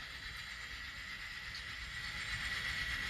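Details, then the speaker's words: Model locomotive reversing through Kato turnouts treated with No-Ox-ID A Special onto yard track 1: quiet steady motor whine, no dropouts; running smoothly without losing power. "No cutting out, no problem."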